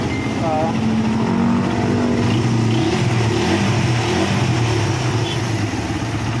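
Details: Yamaha Raider 150 single-cylinder after valve clearance adjustment: revs up and settles back evenly with no loose top-end tapping; normal idle and revving.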